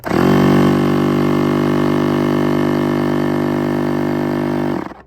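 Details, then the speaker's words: Electric paddle-board pump set to 15 psi, board starting at 7.48 psi: after the low-pressure motor and fan, the high-pressure mode gives a loud, steady buzzing drone at even pitch, then winds down cleanly; normal pump operation. "Um now what you heard there was the high pressure mode where it's a louder sound."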